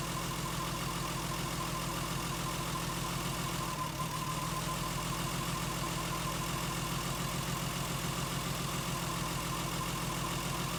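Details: Lexus IS200 losing coolant after overheating, codes P0300, P0301, P0302, P2248; uneven, stumbling idle from a misfire on cylinders 1 and 2 that returned after the cylinder 3 coil was replaced; failed sniff test suggests a failed head gasket.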